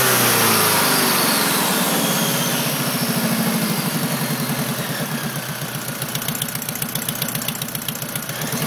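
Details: Engine right after a header install: after start-up the idle settles and a quick, even ticking sits over the exhaust note, seemingly only at idle; source unconfirmed.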